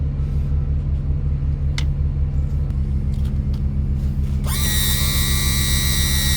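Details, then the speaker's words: Yamaha F300 outboard trim pump after replacing leaking trim seals, refilling fluid and bleeding the air: a low, steady pump hum rises into a clean whine near the end, and the trim pump is working normally. "Sounds a lot better already."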